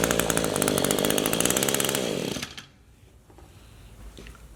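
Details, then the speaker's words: Echo two-stroke power tool (same carburetor as HC-152 hedge trimmer) held at full throttle during carburetor screw adjustment; high, steady, clean-revving buzz, then winds down smoothly; normal full-throttle running. "it's going to be a full throttle so it's going to be pretty loud you but you'll be able to hear the difference"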